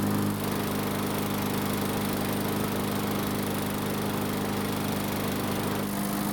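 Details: Murray lawn mower, small engine, after no-start repair following winter storage, running about 5 minutes, near normal operating temperature: constant even drone at steady speed, no surging or sputter; running properly when warm.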